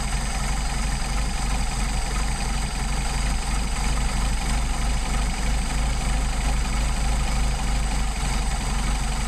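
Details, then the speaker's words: Rebuilt Solex carburettor on a Mercedes 190SL, linkage disconnected, idle mixture screw turned in and out: low, uneven, lumpy idle that stumbles and slows, getting worse as the screw is backed out; rough idle from incorrect idle mixture. "What we're going to do is adjust that in and out and listen for the engine to stumble. So we go in. Little stumble, little slow down, back it out. And you hear it getting worse."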